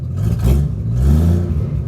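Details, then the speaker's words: 258ci straight-six station wagon ("Green Hornet") running with no exhaust system. Deep, raw open-pipe roar rising and falling with throttle blips; it sounds bad, like a tractor. "and now we have the inline six the greenhorn a and no exhaust system and it sounds really bad"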